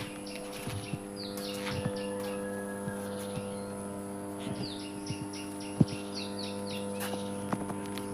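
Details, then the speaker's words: Power transformer in running condition; steady low mains hum with even overtones, no crackle or surges, birds chirping nearby; normal transformer humming sound, attributed to air gaps left in the insulated core. "এই ট্ৰেন্সফৰ্মাৰতে এটা sound কৰি আছে। এই চাউণ্ডটো কি কাৰণে কৰে বাৰু? ইয়াৰ মেইন কাৰণ হৈছে এই চাউণ্ডটো কৰা। এই চাউণ্ডটো আমি হামিং চাউণ্ড বুলি কোৱা হয়।"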